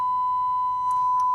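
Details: Marantz 2250B receiver on a final check after pre-amp section repair: steady pure tone near 1 kHz with a couple of short clicks, no crackle or dropout; left and right channels both playing cleanly.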